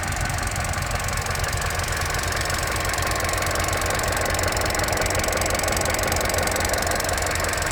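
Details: Opel Corsa D 1.4 100 PS at warm idle after about 10 km of driving; quick, even light ticking of about three per second over a steady idle. The fuel injector tick is normal.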